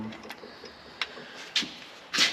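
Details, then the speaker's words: Ford Super Duty shop truck Dana axle gear swap from 5.13 to 4.10: rocking the pinion by hand gives faint sharp metal clicks; against a five-to-eight spec, ring and pinion backlash is judged a little too tight. "I think the new one said five to eight might be a little bit tight you can usually tell by if you like playing or grab a hold of that pinion and you'll hear it Rock back and forth just that little bit"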